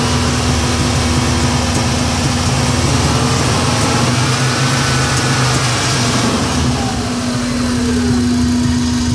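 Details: 1994 Subaru Impreza idling and revving with an uneven, stumbling beat and rough low rumble; engine misfire, owner suspects the coil pack or the MAF sensor.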